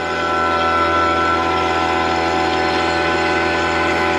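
Smooth steady electric-pump hum with a light whine that fades out about a second and a half in as it starts pulling down the system.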